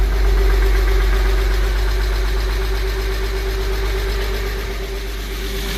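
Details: Porsche 986 Boxster flat-six at restart after engine-out IMS bearing, starter, oil vapour separator and oil cooler replacement and a cleaned intake manifold and valves: even, settled idle with a steady hum and smooth low pulse, no knock or rattle; normal.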